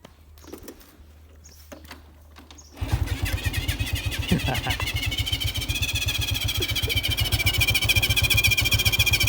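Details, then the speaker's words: Stock-engine Honda Wave 110i fuel-injected motorcycle (year unknown), nothing modified, hand-started and idling: rapid chatter with a high whine creeping upward; owner can't identify the strange noise. "เดี๋ยวผมพามาฟังเสียงมันเป็นเสียงแปลกๆ"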